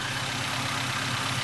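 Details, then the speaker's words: Toyota Avanza first start after engine overhaul, warming up as idle speed drops to target while checking for leaks underneath: steady even idle with smooth low hum, no knocks or misses; running as it should. "sampai ke RPM yang diinginkan oleh mesinnya kita tunggu temperaturnya naik ya guys perlahan akan turun turun turun"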